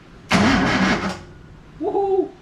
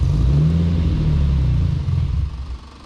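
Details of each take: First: Datsun 240Z engine cranked after refill with oil, to build oil pressure before first start: one-second burst of even starter whirr, no catching or uneven beats; healthy cranking. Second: Datsun 240Z first start after build, with an aggressive camshaft: heavy, uneven loping idle with a deep thump for about two seconds before fading out.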